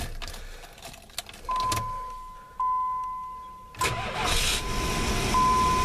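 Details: 1987 Plymouth Gran Fury, warmed up, fuel tank bypassed: engine catches then coughs and gasps in uneven bursts over a steady chime, stumbling as if starving for fuel; tank ruled out as the cause.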